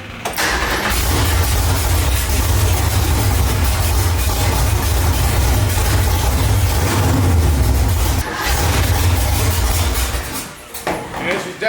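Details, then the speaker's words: 1965 Ford Mustang with a 331 stroker V8, running about 90 seconds without coolant while dialing timing, mark not visible: lumpy, uneven idle stumbling between beats; rough running from over-advanced ignition timing. "Now, I'm going to back it off a hair cuz it seems cranky."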